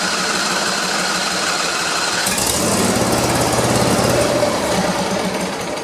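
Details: Donated John Deere LA140 lawn tractor, previously not running, after clearing junk from the bottom, on a test run: the small single-cylinder engine chugs fairly evenly under a busy rattle and keeps going; normal running.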